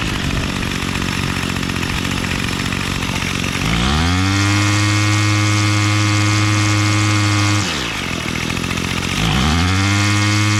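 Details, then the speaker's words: Bolens MTD BL-160 25cc two-stroke weed trimmer after carburetor cleaning and resetting low mixture screw to factory, choke off: rough small idle, then clean climb to steady high full-throttle buzz, dropping back and rising again; runs properly. "choke is off idling full throttle right"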